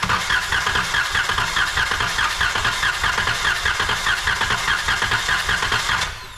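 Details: 2012 Chrysler Town and Country with idle shake and cylinder 2 misfire, compression test cranking via starter relay: steady even cranking with no catches; cylinder reading 140 psi versus 80 psi on another; normal cranking.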